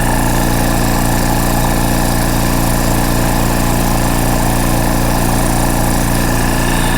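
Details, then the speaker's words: Rolair JC10 Plus compressor after switch install: steady fast motor hum pulsing about three beats a second, sounding unloaded; builds only a little pressure, air felt from the vents, cause not confirmed. "The bad news is it's not building pressure, or at least not a lot of pressure. It builds up a little bit."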